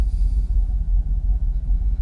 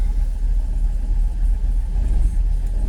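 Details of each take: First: Jaguar XKR (X100) V8 after hard reset, charged battery and cleaned connectors, warm idle around 650–700 rpm: deep smooth steady rumble, no hunting or warnings, no longer fluctuating or stalling in gear: normal idle. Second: Jaguar XKR (X100) V8 just started on a cold morning, before the ECU hard reset: deep, uneven, lumpy idle with surging revs; owner thinks it is not firing on all 8 cylinders. Rough idle, cause unconfirmed.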